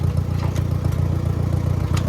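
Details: Farmall 404 tractor after clutch repair, taking off in fourth then into reverse: steady low rumble under load with no grinding or clunks; some general rattling, but no clutch noise or chatter. Normal running in gear.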